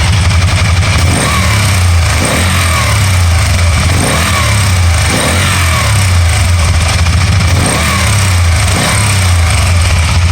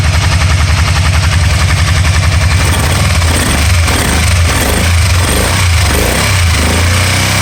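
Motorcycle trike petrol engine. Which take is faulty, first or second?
second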